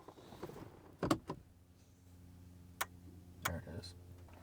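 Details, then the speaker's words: BMW E90 at key-on and start attempt, mic held under the dash: sharp irregular relay clicks from the junction box area, then a low hum, with warnings on the dash; traced to a failed CAS module. "it tries to start clicks we're probably getting a warning up there we're getting warnings all sorts of warnings going on"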